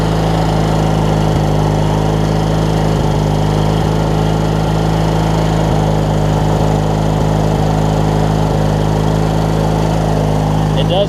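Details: Craftsman LT1000 opposed-twin riding mower (engine swapped previously) running with the blades on and the deck strapped: steady, even drone with no knocks or squeals. Normal running under deck load; the owner wonders if a rusted, misaligned pulley is wearing the belt.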